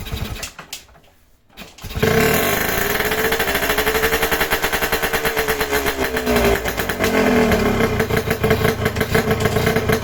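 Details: Yamaha RX King two-stroke left unused for five months, first start after sitting with air screw not yet set: catches after short crank, then crackly, wandering idle beat and pitch; uneven idle, mixture still needs setting.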